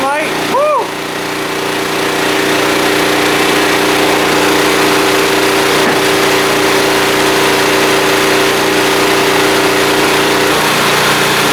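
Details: Small blue Walmart generator, about 15 years old, 110-120 V, started on choke after fuel system work, lighting a lamp; after a brief start it settles into an even, constant hum at fixed speed with no surging or stumbling, running properly.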